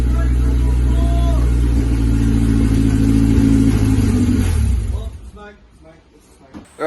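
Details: Isuzu Rodeo 4ZE1 after a top-end rebuild, running with only oil filled, no coolant: raw, loud but even running with steady low firing and no knocks or ticks for about four seconds, then shuts down. Normal running.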